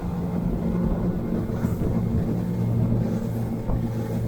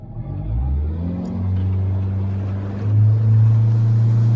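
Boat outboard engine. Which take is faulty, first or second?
second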